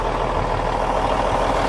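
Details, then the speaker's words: Cummins N14 diesel just restarted after replacing the cam follower housing shim/gasket, may still be sucking some air: steady, even rumble picking up speed with no knocks or misses; smooth acceleration, running healthy. "Now it might suck some more air. That's a nice smooth acceleration now."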